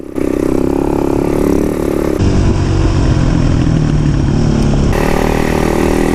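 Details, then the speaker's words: KTM dirt bike two-stroke on trail ride: uneven, lumpy note with revs sagging, wants to stall; fuel is fresh, rider suspects jetting, runs well on choke. "Yeah, she really wants to stall. Yeah, I wonder if you just need to run some clean gas through her."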